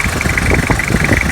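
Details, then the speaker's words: 2002 Toyota Hilux idling while the steering wheel is turned, after the pulley and belt were refitted: only a light steady high tone with no pump groan or squeal, so the power steering noise is gone. "G1 o barulho foi embora e Ah tá bom"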